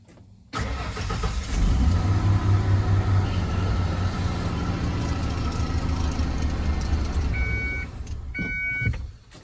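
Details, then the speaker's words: 1994 Ford F250, after cycling the clutch (owner suspects the clutch safety switch): brief crank, clean catch, steady low idle, then shutoff; starting normally again. "Okay, well, whatever that is, that's the problem with the battery drainage, but this is now acting right again, so this is really easy now, like hell yeah."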